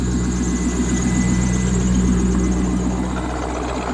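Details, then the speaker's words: Corvette C5 V8 idling after valve cover gasket replacement, with a quick, regular chirp about four a second from the harmonic balancer. The balancer chirp is the next repair on the list. "you know just be a steer hear the chirp from the balancer so that's got to be that's next up on the list"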